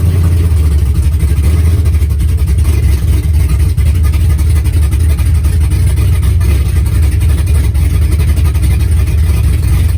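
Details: 4.8 LS V8 with BTR Stage 4 truck cam, new LS7 lifters, HV oil pump, valve springs, run without transmission: deep choppy lope at idle with quick throttle blips; normal healthy cammed idle.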